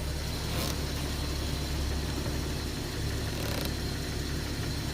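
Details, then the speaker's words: 2001 Jeep 4.0L six at idle after Restore oil additive fixed its knocking and chattering: steady, even low idle with no knock or chatter, only a faint light rattle that the owner attributes to the clutch. "so in my case restore fixed my knocking and chattering problem on my four liter and it also fixed other vehicles in my past so I believe in the restore and again the little noise you might hear is my clutch"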